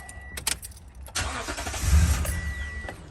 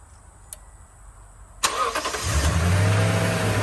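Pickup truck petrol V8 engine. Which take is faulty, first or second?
first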